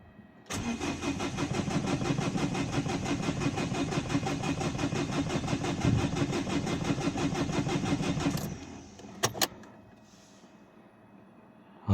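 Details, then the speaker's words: 2011 Dacia Sandero Stepway 1.5 dCi diesel, won't start in morning, rail pressure sensor fault code, glow plug light not flashing: starter churns about three beats a second for eight seconds, never fires; crank no start. "Bakın beyler araba çalışmıyor."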